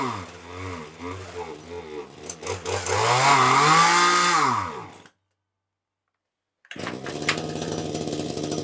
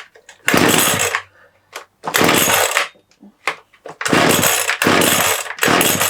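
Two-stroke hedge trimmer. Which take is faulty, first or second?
first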